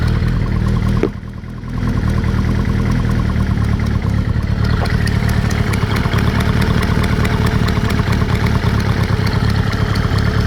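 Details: Kawasaki ZR-7S engine at idle and blips: a sharp, even tick rides over the engine and speeds up with revs; top-end tick, cause unclear.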